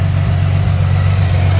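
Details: 2010 Ford Mustang 4.0L V6 restarting after new MAF sensor fitted and battery disconnected to reset PCM (had rough idle, sluggish acceleration); smooth, steady low idle hum with no stumble, surge or hunting, idling evenly and healthy.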